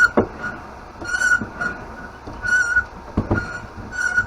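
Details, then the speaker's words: Air pump inflating a Huffy Panama Jack beach cruiser tire: a high squeal rises with each stroke, roughly every 1.5 seconds, with quiet gaps; poor pump squeals and leaks air back out. "this pump sounds like something is dying"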